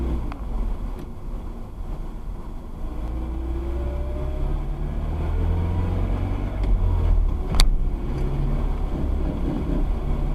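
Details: Rough, growling grind with wavering tones under heavy road rumble, heard on deceleration with the clutch engaged and stopping when the clutch is pushed in; cured by replacing the worn driveshaft center bearing.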